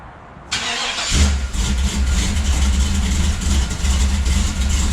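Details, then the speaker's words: 1973 Chevrolet Nova V8 restarted after a TH400 transmission swap, fluid and torque converter filled: quick crank and catch, then a smooth, steady low burble at idle with no squeal or grind; normal idle. "Hear that? Just purrs."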